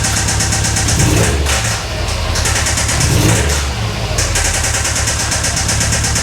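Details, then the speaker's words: 2008 Subaru STI turbo EJ25 flat-four: steady, rapid knock persisting through short revs; knocking began under the previous owner, suspected failing rod bearings, not confirmed before teardown. "Like you guys heard the knocking. Yeah, it's knocking. I knew that before I bought the car."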